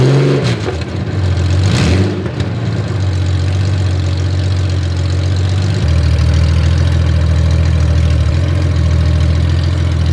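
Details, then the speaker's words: Honda Gold Wing six-cylinder running on open header pipes with no collector or mufflers, while freshly applied VHT exhaust paint cures and smokes. A very loud, raspy six-cylinder drone settles into a fast, rattly idle. "Oh, there. That is very loud. And I'll only say that cuz I'm not going to say that sounds glorious cuz I don't think it does. I think that sounds awful."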